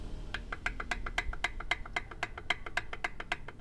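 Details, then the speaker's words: Toyota Avanza that overheated to engine stall, with a slightly warped head, misfiring and losing coolant, now half-disassembled; rings good but pistons loose, worst on cylinder 3: sharp regular ticking clicks, rattling under throttle; piston slap from worn pistons. "Ya semuanya goyangnya agak gede semua dan ini bunyi gitu kan. Kotak gitu. Jadi kalau pas digas rerak gitu."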